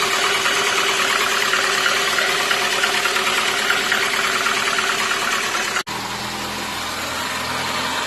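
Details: VAZ 2115 engine after fixing piston knock with cylinder block boring and new pistons: even, steady, quiet idle with no knocking or tapping. Normal idle.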